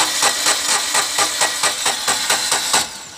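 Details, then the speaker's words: 2012 Tata Nano with misfiring and the check-engine light on, cranking on its old ignition (code) wires: the starter turns steadily at about four to five pulses a second with no firing, and it won't start; faulty ignition leads. "बस देखिए friends, ये चालू नहीं हो रहा जुना code wire पे, और चालू हुआ तो भी मिसिंग करता है।"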